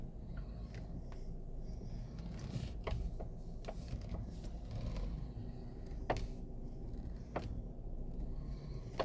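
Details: 2016 Toyota RAV4: sharp, irregular knocks from the steering column as the wheel turns, over low cabin rumble; fixed by regreasing the spiral gear inside the column.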